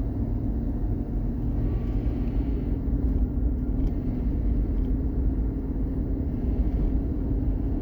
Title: whining noise coming from under carriage of a 2016 Chevy Silverado.